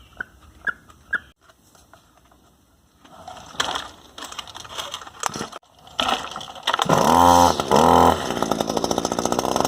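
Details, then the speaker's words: Echo SRM-260 two-stroke string trimmer that wouldn't start, after new carburetor, spark plug, fuel lines and fuel filter: after handling clicks it fires and settles into a high, buzzy, steady run; normal running, carb may need a quick tune. "I think with a quick tune of the carb, we'll have it dialed in. I'll call this one success."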